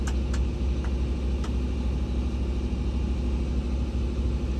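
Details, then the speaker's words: Doosan DX300-LC5 excavator with a Scania engine, after repairs and new sensors, revved to working RPM. There is a deep, even diesel rumble with no puffing or ticking from the exhaust. The joint is sealed tight and no codes are shown. "I sure don't hear it, so that's good. We got it sealed up tight, so that's a good thing."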